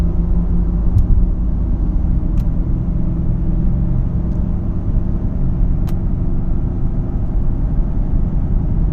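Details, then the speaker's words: 2012 Ford Fusion SEL in the cabin, accelerating past 40 toward 50-55 mph: a steady low drone under the road noise that grows louder, possibly with slight vibration; new balanced tires, alignment good, source undetermined; speed-dependent hum. "About 50, close to 55. It gets louder at 50, 55, and I think there might be a little bit of a vibration."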